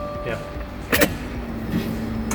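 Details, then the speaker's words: 2015 Subaru WRX after fuel pump and filter replacement for fuel pump relay issues: key on, faint steady hum of the fuel pump priming normally before the car starts. "Do it one more time because like I can hear it. Okay. The pump's working. Good."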